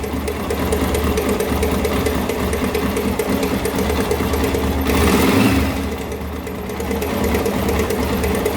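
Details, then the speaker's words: Honda NX Falcon 400cc single-cylinder idling; loud fast metallic clatter from cylinder head, broken decompressor spring on damaged camshaft, louder at start then settles. "quebrou a mola do descompressor Então ela faz um barulho grande né No início tá faz um barulho grande no início depois que ela quer se ela para tá"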